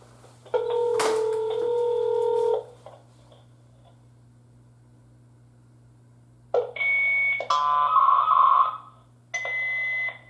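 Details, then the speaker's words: Interlogix NX-8v2 alarm panel dialer reporting to Protostar monitoring, programmed for 8 dial attempts: after the line lost signal, bursts of dial and line tones cut in and out with silent gaps; the dialer keeps retrying and failing to communicate. "Let's see if we can listen to it. Doesn't seem like it's wanting to work."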